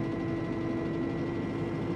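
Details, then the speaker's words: Arbos 5130 tractor diesel idling in the cab after fitting a hydraulics sound-deadening kit; steady low drone with faint whine, no knocks, reading 73 dB at idle, judged quieter than before. "Ty, no jest ciszej. No okej, no jest efekt."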